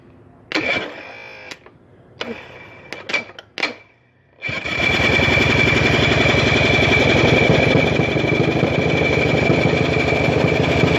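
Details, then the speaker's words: 1981 Evinrude 35 HP outboard, gearcase off, weak starter, number two spark plug removed: a few short cranking bursts, then the motor catches with a fast, lumpy beat running on one cylinder. "so what I did is I popped uh number two spark plug out and started up on one cylinder let's see if it starts again"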